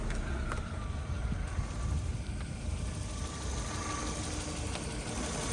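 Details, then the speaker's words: 1996 Toyota Starlet Glanza S EP91 non-turbo, 25 years old: quiet even idle with a faint light ticking on top, typical Toyota tick, nothing wrong. "Ticking sound you hear, that's literally every RAV4 I've ever had makes it. It's like a Toyota thing."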